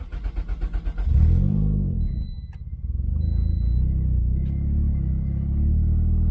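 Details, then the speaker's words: Turbo Toyota Corolla at about 140,000 miles, low on fuel, just after an upgraded fuel pump install: short cranking pulses catch within a second on the first try, then a steady low idle. Normal start and idle. "Alright, start it up first try."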